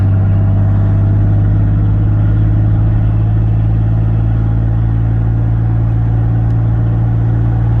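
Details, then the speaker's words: 2004 Ford F150 V6 pickup driving in third gear at light cruise: steady, even low drone with smooth pitch, good power, no knocks, misses, rattles or suspension noise; normal healthy engine running while driving. "Driving pretty well. It's got good power. I don't hear any suspension noise."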